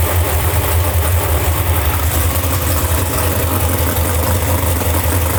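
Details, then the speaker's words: 632ci big-block Chevy drag boat engine after valve lash reset and oil priming, first run since last season: deep, lumpy idle thumping evenly with no ticking or knocking; valvetrain healthy. "boat sounds good motor sounds healthy"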